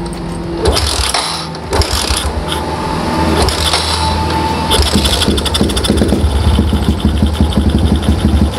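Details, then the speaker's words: Old Yamaha Jupiter MX carbureted, tested with the automatic fuel tap's vacuum hose disconnected and the manifold port blocked: engine picks up crisply on the throttle and settles back evenly, lighter and free-revving with no stumbling or misfire. "nggak lagi yang beneran namun ya kedengaran motornya lebih enak lebih enteng yuk gasnya"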